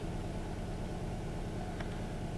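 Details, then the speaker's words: 2008 Kia Rio, manual, flashing check engine light with P0300/P0301/P0303, loss of power and bucking: low, uneven idle with slight stumble; live data shows dead misfire on cylinder three, possibly false counts on cylinder one. "definitely a dead misfire can we be having false counts on cylinder number one because of a dead misfire on cylinder number three"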